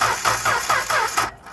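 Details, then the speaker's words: Six-cylinder engine cranking with ignition wire grounded during compression check: even, steady cranking beat about four pulses a second with no uneven or missing strokes; all six cylinders have compression. "okay so there's an engine with all six cylinders that have compression"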